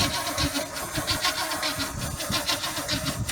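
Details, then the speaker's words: Big block 454 C30 dually square-body truck, distributor just reconnected: starter churns the engine slowly and unevenly and it never catches; still no spark, number one plug wire found missing its metal terminal. "No sir, we still do not have sparky spark."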